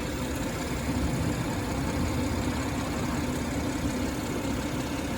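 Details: 2017 BMW 340i xDrive F30 idling with fuel low after dealer applied SIB 12 20 19 reprogramming and calibration; steady smooth hum, the former low-fuel helicopter thumping from the rear seat area is gone.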